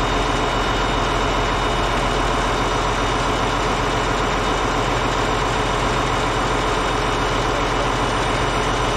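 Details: Caterpillar D8H bulldozer (46A serial, year unknown, No. 28 cable control unit) running after sitting 15+ years, once fuel reached it: deep, steady diesel idle with an even lope of about 220 beats a minute, no knocks or misses. Normal idle.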